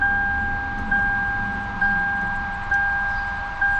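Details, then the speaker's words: 2006 Lexus IS 250, sat about a year, new battery fitted: clear chime repeating about once a second with engine off; dash warns to press brake pedal and the car won't start. "It's saying press on brake pedal before turning on the car, and it won't start."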